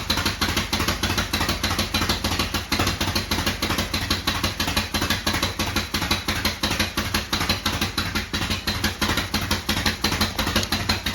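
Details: 1972 Harley-Davidson Sportster V-twin, first start after sitting 32 years, ice cold, after a new starter, solenoid, regulator and wiring. It holds a lumpy but steady idle of about three pulses a second, normal.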